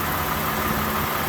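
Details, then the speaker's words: 2007 Toyota Avalon 3.5L V6 after replacing spark plugs and broken coil boots: smooth, even idle with a steady low hum, no ticks, skips, misses, knocks or vacuum leaks, no check engine light; normal idle. "It is running. Everything is all set. No vacuum leaks, no knocks, no skipping, no missing. Sounds good."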